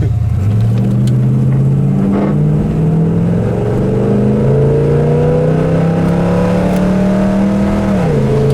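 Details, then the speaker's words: 1972 Chevelle SS, 350 4bbl V8, automatic, dual exhaust, road test under acceleration: deep smooth climbing pull, clean kickdown to second, 70 mph at 2,500 rpm in third, 70 at 4,000 in second; runs well. "That 350 does run well."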